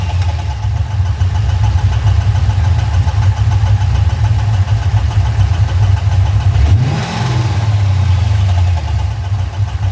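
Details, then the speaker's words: LS1 V8, freshly fully serviced, oil pressure good, no oil light, knock just developed: a steady idle with a faint knock from the driver's-side top end; owner leans toward a lifter or rocker, not confirmed. "okay so cars just developed they knock through the top top driver's side Bank oil was good no lights coming on"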